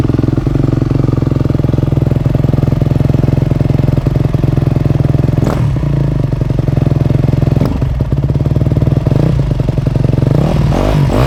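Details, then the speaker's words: 2008 Yamaha YZ250F four-stroke after full rebuild, first start, choke off, warming up: fast steady mechanical ticking over the idling single, keeping pace with engine speed; top-end noise, cause unconfirmed. "you hear that yeah well we got the bike started did you hear that noise we did something's not right"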